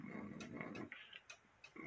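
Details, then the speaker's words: One-day cuckoo clock hanging crooked on the wall, still running three years on: tick and tock at uneven intervals, a short gap then a long one; out of beat, sounds better once straightened. "three years later this clock is still ticking away as you can hear it's not quite in beat"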